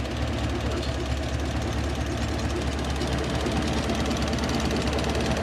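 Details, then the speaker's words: Toyota 1UZ V8-swapped Hiace van at idle: uneven loping, stumbling beat as it misfires and drops cylinders; injector drive suspected, not confirmed. "have we dropped the cylinder now that's what it's been doing it's been misfiring and dropping cylinders"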